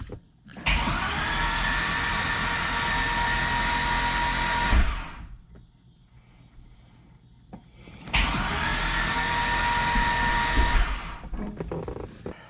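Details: 2005 Corvette with a built motor, Kong 2650, new PCM tune and E85 flex-fuel sensor: two cranking bursts of about four seconds each, the starter whirring evenly but the engine never fires; cause not yet found.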